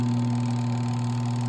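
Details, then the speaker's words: Spin dryer that would not start, under test: with the lid switch closed the spin motor runs with a steady, even hum, low drone and faint higher tone, no scraping or knocking; normal running. "Subukan natin paandarin kahit kaunti. Ayan oh. Yan. Gumagana po 'yan."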